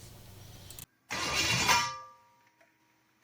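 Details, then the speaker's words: Budget junkyard-rebuilt Chevy 350 small block farm-truck engine on first fire-up attempt, headers fitted: short harsh whirr of the starter meshing with the flywheel for about a second, then it dies away without the engine running. "We can hear the starter and the flywheel."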